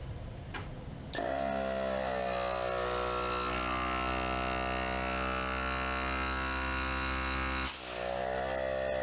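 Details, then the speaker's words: Harbor Freight 12V 150 PSI compact air compressor, 7 years old, test run after filter cleaning, inspection and lube: a click, then a steady, even buzzing drone holding pitch with no knocking or grinding. Normal running. "Well, works, not too bad."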